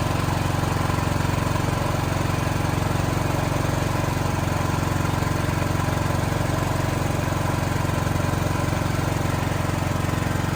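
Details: Backup diesel generator running the whole building at night during monthly emergency testing, after failing to start on first attempt; firm even thrum about three pulses per second under load, no knocks or hunting, normal running.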